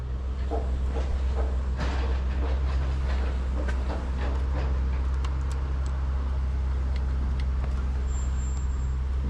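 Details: Yamaha XS650 twin refitted to the bike frame, first start after work to cure oil burning: it fires and settles straight into a steady, even low idle, quiet with no pings or bangs, though smoking, hoped to be break-in.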